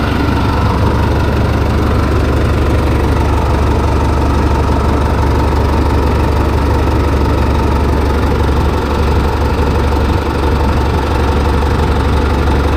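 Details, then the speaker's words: Detroit Series 50 diesel just rebuilt in-frame with new turbo and charge air cooler hoses, fired up and left idling: steady, even deep rumble, no knocks or turbo whistle; normal healthy idle. "Duke, I'm gonna fire this thing and let it idle a little bit."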